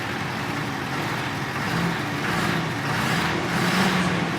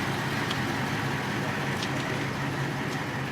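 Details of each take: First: Ford F-450 after flushing gas out of the fuel system and injector lines, screaming noise gone: idle still a lumpy, uneven chug rather than a smooth beat; rough idle. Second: Ford F-450 after flushing wrong fuel from the fuel system and injector lines: steady, even idle with a low drone and no high-pitched scream left, though still chugging a little.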